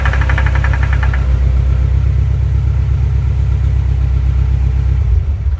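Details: Engine catches and settles into a rough idle with a fast rattle of about four per second; rattle source unclear.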